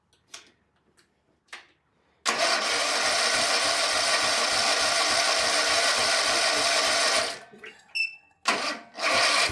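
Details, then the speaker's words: Kawasaki FS651S V-twin mower engine, tired with very high hours (smoking, popping, bogging), tested with one plug wire undone: runs about five seconds on a single cylinder with loping, pulsing, uneven firing, then quits. "If you undo one cylinder and it runs, the cylinder is good. If you undo a cylinder and it doesn't run, then that's a dead cylinder, the plugged in one."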